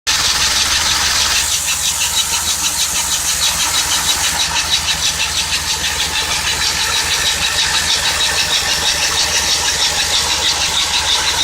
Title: Cold engine squeaking sound